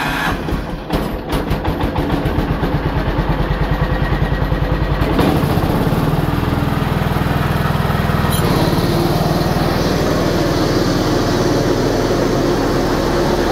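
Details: A Simplicity 7112 tractor with its repaired 42-inch snowthrower is started on choke for a test run. After a few seconds of cranking, the single-cylinder engine catches and settles into a steady, even run with no knocks: a healthy engine.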